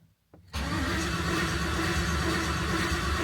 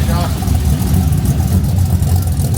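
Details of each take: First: 1988 Ford Bronco with newly swapped LS V8, first start attempt; strong even cranking about 3.5 turns per second for six seconds, oil pressure building, never fires; cranks but won't start, VATS not yet deleted, cause unconfirmed. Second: 1988 Ford Bronco with an LS V8 swap and true dual stainless exhaust, first fire after a no-start: deep, steady V8 rumble with even pulses, not too loud, good oil pressure, initial lifter clicking gone; normal idle.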